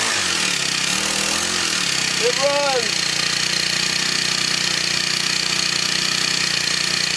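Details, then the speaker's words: Scrapped Craftsman four-stroke weed eater, spark plug loose, running after finding correct rotation: steady, fast, buzzy note with no misses; normal running. "it runs so this one runs and blower don't"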